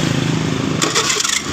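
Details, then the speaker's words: 2015 Honda Beat FI scooter, started up after the CVT bearing and seal were replaced: settles to an even run with only a light buzz from the starter dynamo and no clatter from the CVT, so the earlier clattering is gone. "nah seperti itu itu bunyi dinamo bukan di bagian dari bearingnya yang tadi seperti itu tidak ada suara mengeletek-keletek"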